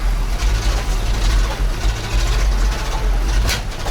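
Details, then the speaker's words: ZIL crane truck engine after 20 years standing seized: lumpy uneven low idle surging and sagging, no revs; half the cylinders dropped out, new spark plugs planned; it then backfired and stalled. "Ну, к сожалению, нормально он не работает. Половина цилиндров отсупонились. Ну и хорошей работы явно сейчас не дождаться от него."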